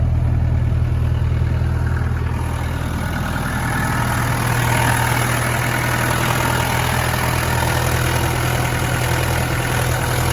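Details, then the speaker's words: Restored 1993 Land Rover Defender 90 200Tdi diesel at idle: steady even low clatter, no misses, knocks or hunting; no blowback and no tailpipe smoke at idle, healthy. "No back pressure or blowback. And no smoke out of the tailpipe at idle."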